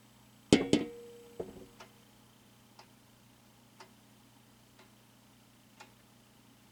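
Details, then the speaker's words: Quazar wall clock movement from the early 2000s, freshly rehung on the wall: faint, crisp single tick once a second, perfectly even in a quiet room after a few knocks from hanging; normal ticking, movement running fine. "Do you hear the clicking from the Quazar movement?"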